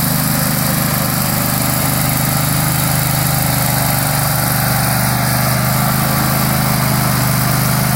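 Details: Struck Magnatrac MT2000 with a newly fitted Predator 670 22 hp twin-cylinder engine, first start: steady, even V-twin drone with a low pulsing beat and no knocks or misses; the engine sounds healthy and settled.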